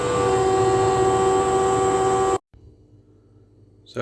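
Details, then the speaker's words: Hotpoint NTM1192SKUK condenser tumble dryer, side panel off: faulty drain pump running dry with no water, loud harsh buzzing whine, then cuts out; fixed by replacing the pump. "I think develops a little bit of a fault so it's incredibly noisy when it gets uh to pump but it hasn't got any water to pump out it's pumping dry"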